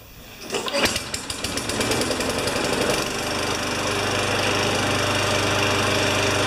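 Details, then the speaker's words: Free lawn mower after spark check, oil change and blade balanced: pull-start pops into a quick, even single-cylinder putter that holds steady without stumbling; runs fine. "well that's a runner okay I just have to figure out a bank for this guy number one done and it just runs like a chat boils changed blade balanced"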